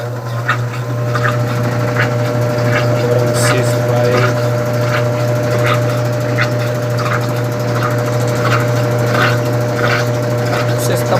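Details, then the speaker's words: Brastemp/Consul BWG 11 kg washer after replacing the hydraulic ring to cure spin noise: steady low hum through spin with light scattered ticks, no grinding or banging; slight basket sway normal with thin suspension rods. "cesto está balançando um pouco porque praticamente é normal também dessas lavadoras que ela tem."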